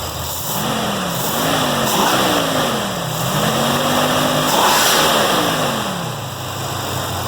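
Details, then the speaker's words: 1966 Mustang 302 with newly installed MSD Atomic EFI, diagnostics reading OK: quick throttle blips with the V8 note rising and falling cleanly off idle, no hesitation. Normal, instant throttle response. "Seems to have some pretty instant throttle response, so that's good news."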